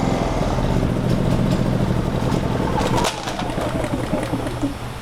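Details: Generac GP3300i generator (model G0071532) that won't shut off with the kill switch; the fault traced to the coil kill-signal lead. It keeps chugging steadily with the switch off, then drops sharply after about three seconds.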